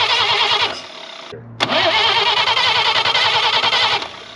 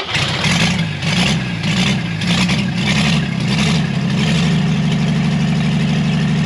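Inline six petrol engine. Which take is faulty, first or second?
first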